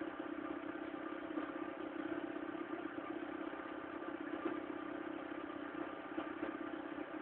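Steady engine drone with a thin, dull mid-pitched hum and faint uneven clatter; the running sounds rough while cold, cause unclear.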